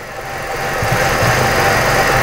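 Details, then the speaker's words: 2006 Ford Escape 2.3 four-cylinder at idle: rough, shaky, uneven lumpy beat. Mode 6 data and crank-velocity analysis confirm misfires on all cylinders, persisting after several shops replaced parts. "that's a mismiss all the cylinders on this are missing that's what mode 6 told me but now i've confirmed it so now i know all the cylinders are really missing"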